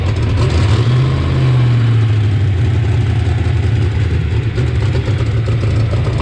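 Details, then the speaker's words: '88 Mustang GT V8 started for the first time after a Trick Flow top end kit: rough, deep idle with a fast puffing tick on the exhaust note from an exhaust leak around the header collector, with the joints seeming tight. "very interesting somewhere see we can track down this exhaust leak everything seems tight it's around that around that collector right there"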